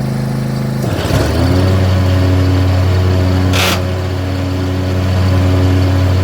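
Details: John Deere box-store zero-turn mower used commercially with many hours: engine drops in pitch as blades engage, then a rough pulsing hum about four per second; intermittent vibration, one blade had been fitted upside down, spindle suspected bad.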